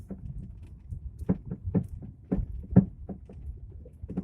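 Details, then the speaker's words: Lada Vesta, 152,000 km: dull uneven thuds about twice a second while driving deliberately over rough road; severe front-suspension knock, cause unknown to the owner. "В передней части ходовой появился страшный стук. И не могу понять, что это."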